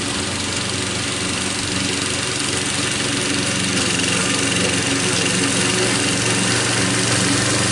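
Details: Troy-Bilt mower after head gasket repair using parts from another engine, cutting grass under load: steady even beat, no surging or hunting; healthy.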